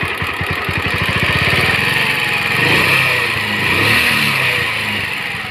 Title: Pulsar 150 engine sound problem